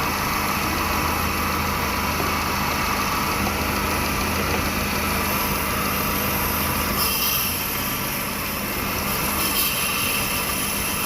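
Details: Hyundai i10 petrol engine with code P0300 running with an uneven, stumbling beat from multiple random cylinder misfires.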